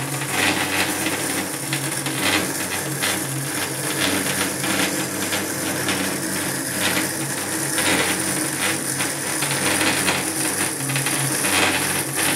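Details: Feiyu FY-G4 gimbal: steady buzzing hum with faint uneven rattling, no clear rhythm; vibration problem, cause suspected, not confirmed.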